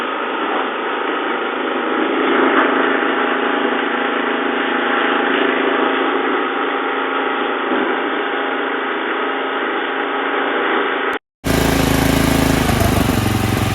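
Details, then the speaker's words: Snowblower single-cylinder engine after sitting 4 years winterized, started on choke with prime; slightly rough at first, now smooth full throttle off choke with even, steady high-speed drone, no surging or misfires; normal full-throttle running. "nice 4 years a little bit in the beginning. Now it's smooth full throttle off choke."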